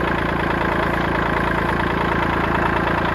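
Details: 1980s $500 boat's two-stroke at a steady idle, with a light rattle just over two per second underneath from the output shaft jiggling loose because of missing bearings; the motor itself sounds solid.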